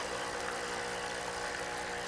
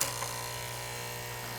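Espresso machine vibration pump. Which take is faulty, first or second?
second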